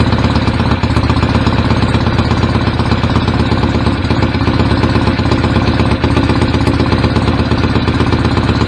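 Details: BSA A50 Royal Star twin, bought as a non-runner, first running after restoration with pattern straight-through exhaust pipes: loud, lumpy but evenly firing idle, no knocks or rattles; owner unsure whether the air lever is fully off. Normal idle.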